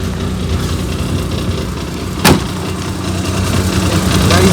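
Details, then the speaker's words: Maruti 800 with a burst silencer, idling after ignition: rough, loud hollow rumble with a sharp pop and strong vibration felt, noise coming from underneath; exhaust leak at the silencer, later repaired at a workshop. "नीचे से। आवाज आ रही है। . दिशा बुलाओ बहुत तेज आवाज आवाज़ बाहर आ रहा है।"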